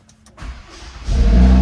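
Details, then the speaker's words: Fire-damaged Audi RS3 after key reprogrammed with factory scan tool: short crank catches quickly and rises into a strong, steady deep idle; clean start, secondary air working. "Oh, there she is. for a startup, but I think maybe it just hasn't been running for a long time. That sounds pretty good."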